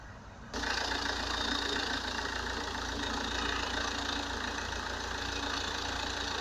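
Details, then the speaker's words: Opel Astra H 1.7 CDTI diesel after turbocharger replacement, started and warming up, no oil leaks at the turbo: settles into a steady, even idle with light regular clatter and no odd knocks or whistles; engine sounds healthy. "The engine is working fine, we don't have any noises."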